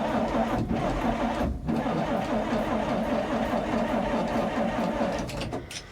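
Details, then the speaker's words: 1957 REO dump truck with a Gold Comet engine, sitting 22 years, after a plugged fuel line was blown out. The starter labours, uneven and dragging at about 2.5 beats a second, on a weakening battery; once started the ammeter shows it charging. "Ooh, come on, baby. Battery's getting weak."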